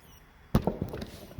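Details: Samsung UN55NU6900 TV with flashing standby light and no backlight: after plugging in, sharp irregular ticks with no motor behind them, from bad, discolored capacitors on the board, which are to be replaced.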